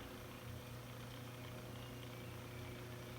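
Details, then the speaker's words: 1915 GE fan motor after new front and rear bearings, temporarily wired with alligator clips: low steady smooth hum with no grinding or rattle. Normal motor hum after repair. "we're wired up temporary here with some alligator clips and i'm going to plug in power and let you hear it run there you go"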